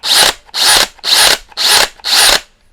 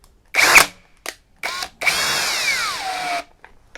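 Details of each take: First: Teccpo brushless impact drill (60/70 Nm models) in second speed: five short whirring bursts, each with a bright gear whine. It is louder than first speed, a noise put down to the spindle-lock cylinders and nothing to worry about. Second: Teccpo brushless impact drill (60 Nm TDHD02P vs 70 Nm BDH 360B comparison) in speed 2, driving a screw into wood: the whine cuts out several times, then restarts at a lower, sagging pitch as the drill turns slowly. Cause suspected, not confirmed.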